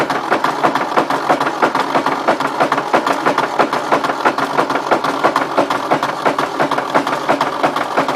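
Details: 1953 Ford Jubilee tractor, engine just freed after being stuck, cranked on a rigged battery, out of gear, penetrant and ATF in cylinders: sharp, fairly even knocks about three a second, never fires; owner suspects bad connecting rod, starter or hydraulic pump, unconfirmed.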